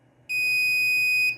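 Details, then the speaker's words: RAID controller alarm at boot, after slow device initialization: single loud shrill one-second beep, chip light blinking in sync. "Once it starts, you can you can hear a very loud beeping."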